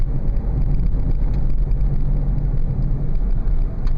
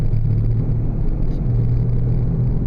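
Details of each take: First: 2000 Oldsmobile Silhouette minivan on a test drive at about 30 mph after replacing one front wheel bearing hub assembly: steady low road rumble with no droning hum. The bearing now sounds healthy. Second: 2000 Oldsmobile Silhouette minivan driving at 20–25 mph: deep steady droning hum or growl under road noise, louder with speed, briefly vanishing in a left bend; suspected worn drive axle wheel bearing hub, to be replaced.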